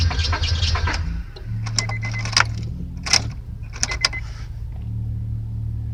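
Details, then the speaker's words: 1999 Honda Accord 4-cylinder, new distributor, rotor, plugs and wires, started once then not again; fuel pump heard, fuel in line, no check engine light: steady low cranking, keys rattle, never fires; crank no start. "That's what it's doing. Like it won't stop, but it's not starting."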